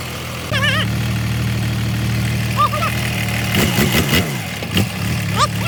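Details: Jingong 30 diesel during an overhaul for abnormal noise, where a burst cylinder liner and a smashed piston were found: it catches and settles into a steady, even low idle with no knocking or clatter. Normal idle.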